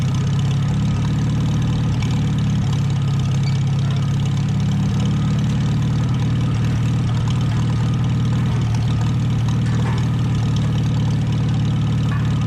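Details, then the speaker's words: 1949 Farmall H tractor running again after sitting roughly 10–20 years: steady low rumble with an even beat, no knocks or surging; sounds more loaded but smoother. Normal running. "Let's Funny. It sounds like it's loaded more, but it's smoother."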